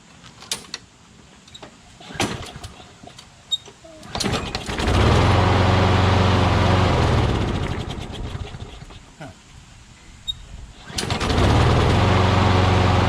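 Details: Craftsman push mower with crankcase oil way overfilled, smoking badly, oil in the muffler, suspected hydrolocked. Engine surges up then sags in uneven bursts while holding throttle, so the carburetor seems okay; rough running from overfilled crankcase oil.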